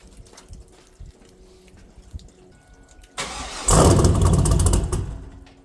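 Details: Trans Am WS6 LS1 with a big cam and Speed Engineering exhaust, restarted: a quiet lead-in, then it catches with a sharp bark into a loud, lopey idle on all cylinders; a healthy start and not overly loud.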